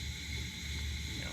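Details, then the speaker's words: 1947 nickel Coleman 500 series stove, small gap in burner frame: steady even hissing roar, no sputter or surging, clean full burn; normal burner roar. "You know, once you get these stoves going, they're gonna roar and,"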